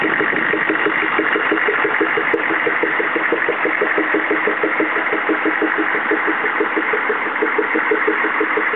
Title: CUCV-II 6.5L engine popping noise